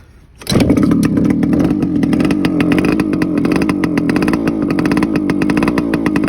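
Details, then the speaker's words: TC125 two-stroke dirt bike after a carb clean, a new fuel line with filter, and a switched spark plug: it catches after a pause, then idles and revs with a crisp, even ring-ding crackle and no misses. Running healthy. "Pretty sure that's all she needed was a good old carb clean. She runs like a dream now."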